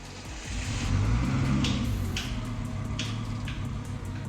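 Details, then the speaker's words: Turbo-swapped 5-cylinder T5 Volvo 242, on startup just after a head gasket replacement: light quick ticking about four a second with sharper clicks; commenters suspected unprimed hydraulic lifters, but it turned out not to be just lifters. "There were lots of ideas in the comments with the most common suggestion being that hydraulic lifters weren't yet pumped up with oil."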